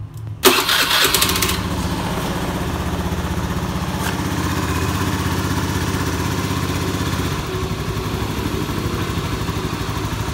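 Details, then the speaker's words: Scooter just after a CVT service, revved with throttle blips: rough crackling rattle from the belt drive, smooth with the cover off; caused by a worn, loose pulley bearing that is then replaced. "Ini ada kerjaan motor ini habis di servis CVT-nya, tapi waktu digas suaranya masih tret."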